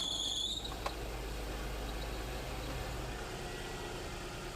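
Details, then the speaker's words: 2006 Nissan Maxima, engine idling with A/C on, alternator under test: sharp high belt squeal under a second then steady engine hum, voltage touching 14 V; belt slipping under accessory load, suspected from alternator or A/C compressor load, not confirmed. "All right, squeal is lessening up. We touched 14 volts there for a second."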